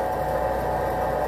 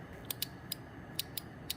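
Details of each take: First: 2002 Chevrolet Silverado Duramax aftermarket lift pump, after repairing a melted fuse, a bad ground and the wiring harness: steady, even electric hum with a constant mid-pitched whine and no stutter; it runs faster than before and draws about 5 amps. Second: 2002 Chevy Silverado Duramax aftermarket lift pump relay: six sharp, unevenly spaced clicks as it chatters on and off, with corroded relay, poor ground wire and a melted 30A fuse found.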